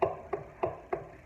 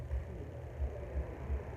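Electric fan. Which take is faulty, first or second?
first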